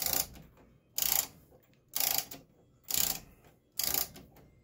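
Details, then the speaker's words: Vintage 1940s-50s German Westminster chime wall clock being wound with the key, each of its three springs taken to fully wound: crisp, even bursts of ratchet clicks about once a second. A healthy winding mechanism, and overwinding is said to be impossible. "there's no such thing as over winding a clock there's no such thing as winding it too tight"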